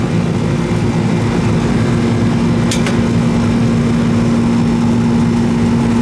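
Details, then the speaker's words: Old R-22 Goodman AC that was running but not cooling, after service with gauges removed: steady low hum with a constant mid tone and a loud, somewhat rough, growly drone. The compressor runs, noisy but working. "This sucker's still running. Still running. All I care about. Noisy, but still running."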